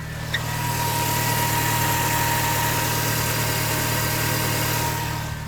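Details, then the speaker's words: 2005 Mini Cooper S with battery, ABS and power steering lights at stops; charging test shows about 11.2-11.8 V instead of about 14; over steady idle a constant high whine at alternator side; alternator whine from failing alternator. "All right. And on this side, you can actually hear a wine down here."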